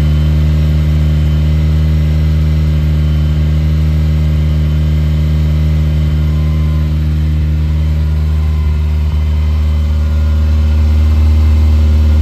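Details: Fully cold start of a recommissioned 1980 Ferrari 308 GTSi, engine and exhaust heard: steady, smooth low drone held slightly high. Idle rose to the mid-to-upper teens and then settled; a normal fast idle while warming up.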